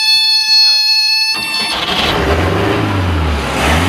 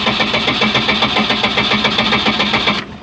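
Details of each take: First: 1989 boat's 3.7L MerCruiser MCM 470, cold start: oil alarm tone briefly, then after pumping accelerator engine catches and runs smooth and even with a few throttle swells; oil pressure around 40; running normally. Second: 1989 boat, 3.7L MerCruiser MCM 470, cold: steady fast cranking near four turns a second without catching, accelerator pump needs pumping; cold-natured hard start, long cranking, oil pressure about 40 once running.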